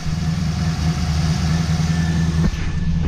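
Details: Customer car with previously modified V8 (heads, cam), freshly finished build: loud deep idle with uneven lumpy pulse rather than smooth beat; rough idle, car needs tuning.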